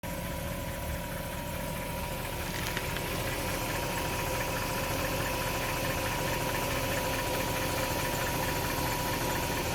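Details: BMW E39 540i V8 at idle: strange steady high whine with a faint rough pulse of about two beats a second; cause not identified.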